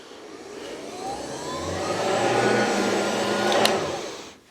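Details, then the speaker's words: Hoover ONEPWR HEPA+ cordless bagged upright vacuum (model BH55500PC), new out of box: steady motor whir with faint scraping hiss and thin rising whistle, not something jammed in the roller; brush roll bristles rubbing loose ingest bars. "But that's not actually what you're hearing. what you're hearing are these ingest bars right here. Those are what's making the noise."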